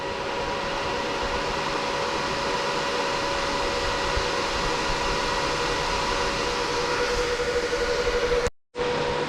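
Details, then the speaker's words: BTC-S37 mining rig, 6x RTX 3060 Ti, at idle before mining starts, sound meter reading about 80-86 dB: loud steady rushing air with faint constant whine, no rattles or ticking; fans running normally, just loud. "alors au niveau sonore déjà on peut voir que même au repos les ventilateurs on est à 80 6 décibels voilà on est à 80 90 décibels"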